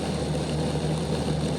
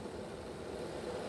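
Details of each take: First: Bachmann Dash 9 model locomotive, rear motor block cocked with poor contact to the contact strips inside the housing, running reversed on the club layout: low rough growl, more of a growl than the front block, steady hum sagging and dropping out; fixed by reseating motors. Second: Bachmann Dash 9 model locomotive rear truck at speed step 4, after reinstalling motors with good contact to the motor block contact strips: quiet, even hum with no binding or surges, sounding much better than before.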